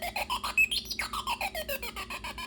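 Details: MFJ Pacesetter keyer with 8044 chip from an HK5A clone, during full-featured tone test: quick run of high chirpy beeps with wobbling, scratchy pitch, tone sounding dirty; chip otherwise confirmed good, cause of distortion unknown.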